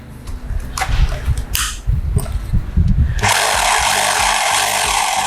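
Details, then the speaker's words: Mollar HD826 800 W SDS Plus rotary hammer drill switched to hammer-drill mode: after handling knocks, a steady, even hammering whir as it rotates and hammers, with no stumbling or irregular knocks; normal rotary hammer operation. "dia berputar dan juga sambil mukul ya memukul sambil berputar"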